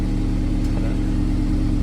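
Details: Honda S2000 with UK exhaust mod; steady, deep, even exhaust note with no rasp, puffing leaks or rattles: healthy exhaust.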